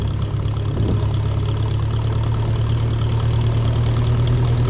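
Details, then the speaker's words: 1957 Ferguson 35 TVO tractor on the road, under 8 mph, with a reworked silencer and snug homemade sleeve: steady, low, even thump with no blowing or rattles; exhaust sounds sound and quiet. "And I'm really happy with this silencer. I'm really happy to work I did on it."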